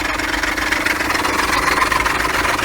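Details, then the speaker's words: Diesel idle with a quick, uneven knocking clatter, steady with the engine, from a worn ribbed pulley and idler pulley, shown before their replacement, after which the noise stopped. "Olha aí pessoal como é que tá o barulho agora depois do reparo efeito estava nas polias a estriada e essa polia de apoio aqui fiz a substituição e o barulho acabou"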